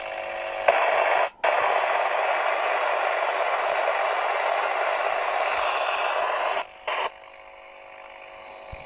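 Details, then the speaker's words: Hacker Herald RP30 transistor radio during IF/RF alignment after the electrical restoration (transistors and capacitors replaced), signal generator near 470 kHz: a steady high test tone under heavy constant hiss with two brief dropouts. Noisy output, cause unclear, alignment to be redone. "There's our tone there. That's just, we're going to have to go back through that again then. So we had a lot of noise coming through that."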